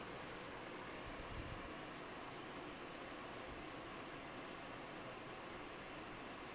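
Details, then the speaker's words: Graphics card under full load, case open: steady, even airy fan whoosh with no ticking or rattle; noticeable but healthy. "It's not bad. Um I mean, if the system was right beside you and had an open style case with, you know, a mesh panel, you'd definitely hear it uh under full load like this. It would be very obvious."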